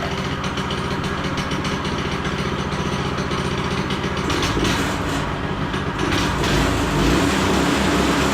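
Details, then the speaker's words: Child-size go-kart single-cylinder engine, sat for years, after new carb, new throttle cable and fixing overstretched throttle return spring, probably warm: steady even chugging, picking up slightly at end; settles and idles normally. "So now it actually returns. That should bring it down to idle pretty nicely."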